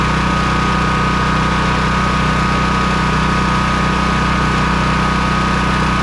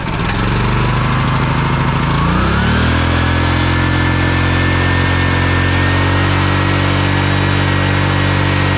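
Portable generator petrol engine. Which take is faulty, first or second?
second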